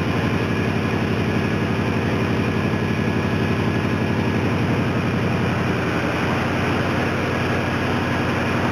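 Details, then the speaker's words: 2008 Dodge Ram 2500 with 5.7 Hemi V8 after water pump and pulley bearing replacement and a coolant refill: steady, even idle with no squeal, chirp or bearing growl; the engine bay is much quieter. "the engine bay is a lot quieter with those new with those new bearings Napoli's new bearings and water pump"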